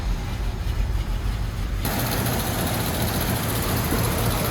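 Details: Jeep J10 truck, 401 V8, off the road 29 years, after rear fuel tank swap, new mechanical fuel pump and ignition column reindex: deep, steady, even low rumble with no knocks or misses; normal idle.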